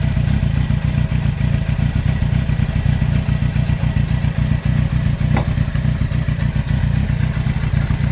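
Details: 2003 Yamaha R1 (5PW), 41k miles, cylinder 4 big end bearing failure: heavy, steady clatter with a deep knock near four per second under the engine note. Cam chain, valves and top end are fine; owner suspects harsh downshifts; needs new engine.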